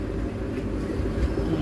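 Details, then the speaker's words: Isuzu MU-X diesel after transmission removal and clutch repair: steady low rumble with no clicking or grinding as the clutch is released in neutral and through the gears; previously noisy until the clutch pedal was pressed. "Swabe na siya guys. Okay na. Wala ng ingay nung ano kumakalat pag bibitawan mo yung clutch."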